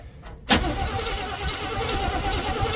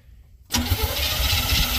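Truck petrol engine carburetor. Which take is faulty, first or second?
second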